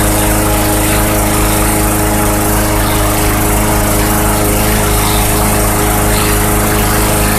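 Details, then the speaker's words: Bolens/MTD 11A-B0BL765 21-inch push mower from 2014, 140cc Briggs & Stratton 500 Series engine, after a no-start was fixed by cleaning out old fuel from the tank. Loud, constant single-cylinder buzz at a steady governed speed, no surging; normal running. "there you go running great seems to be running fairly well with that tank clean out"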